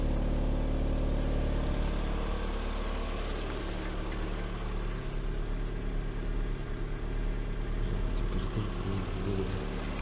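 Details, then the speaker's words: Lada Granta 126 engine at idle on first start after full rebuild (bored block, new bearings, 82.5 repair pistons, new timing kit, guides, valves): light fast ticking, cold and hot. Teardown found one hydraulic lifter sitting high. "Вот такой вот стук на холодную и на горячую. Сейчас будем разбирать. Непонятно откуда."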